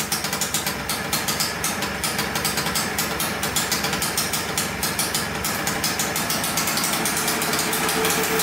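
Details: 1989 Yamaha Blaster 200cc two-stroke quad, first start after engine rebuild: crackly idle with sharp pops that climbs in speed on its own; suspected air leak, but carb cleaner around carburetor and flywheel showed nothing; surging high idle.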